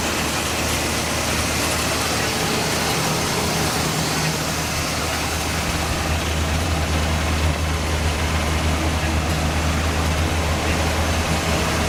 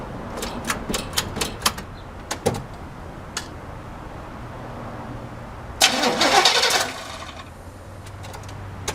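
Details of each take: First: El Camino started after sitting 15 years, on fresh gas, with old oil and coolant not yet changed: steady, even low rumble, revved slightly, with no knocks or misses. It runs normally, though the fan belt wobbles. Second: Long-stored El Camino with new Optima side-post battery, engine not seized, bad-smelling old gas at the carb fuel filter: bursts of cranking with clicks, then a longer free crank that never catches; crank no start from stale fuel and clogged fuel filter.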